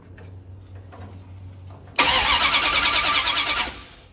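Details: 1972 Dodge D100 with a new solid roller camshaft and Speedmaster 265cc heads, first start attempt after advancing timing: the starter spins the engine under two seconds and it never fires; no spark seen at the coil wire.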